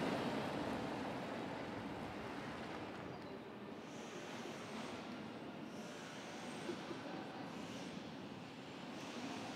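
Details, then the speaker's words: 1953 Morris Minor two-door converted to electric drive, rolling in London traffic: no motor noise, just a soft, even rush of tyres and road. Healthy electric drive. "so it's just now you've got a little bit of tire noise and just the sound of a 1953 car bundling through london traffic"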